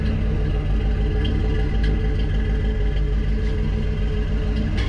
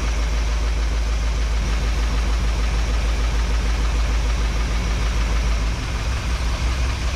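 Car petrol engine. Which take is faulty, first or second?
first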